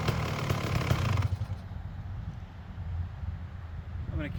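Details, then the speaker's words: Freshly restored Kawasaki KX250 two-stroke with sleeved cylinder, first run: sharp, crackly blip for about a second, then settling to a lumpy but steady idle; snappy and healthy; normal idle and revving. "It really sounds awesome. Man, it sounds like it's really snappy, too."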